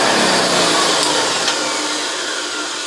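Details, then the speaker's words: Vintage vacuum cleaner before refurbishment (JaxVax-rebuilt Hoover Senior 652a or repainted Vactric Junior), first run: steady, loud hissy whir with no rise or fall; the motor runs but sounds tired and needs work. "that's not bad not bad at all but tired it needs some work"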